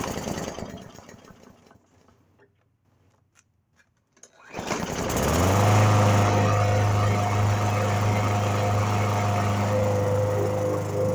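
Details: Briggs & Stratton mower that wouldn't start, after cleaning the carburetor jet pinhole (soaked in Coke) and reassembling: quiet pulls, then it catches near 4.5 s and settles into a steady, even drone. Now runs healthy.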